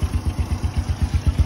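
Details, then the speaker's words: Original 110cc motorcycle engine at idle: even low chuffing pulses, about seven a second, which are just the air filter's intake sucking sound, described as quiet and healthy. "Cái cần xong rồi nắm lên lọc gió là máy im đét luôn. Tiếng này là tiếng hút của lọc gió anh"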